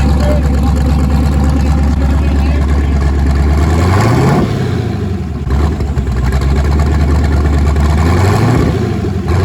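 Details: Twin-turbo LSX V8 swapped Nissan 240SX on first start after new turbo setup, running on Holley Terminator X wizard base tune, fuel pressure not yet set, out of gear; deep loud V8 rumble with clean blips rising and settling evenly, normal revving.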